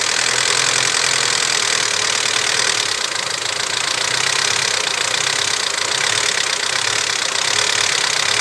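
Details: Vectra, over 20 years old, at idle: fast idle that dips and recovers unevenly, hunting; owner suspects poor contact in wiring harness near throttle position sensor, as moving the harness briefly normalizes idle; unconfirmed.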